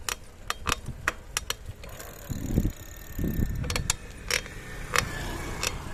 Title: Montra Downtown - Weird creaking noise from bottom bracket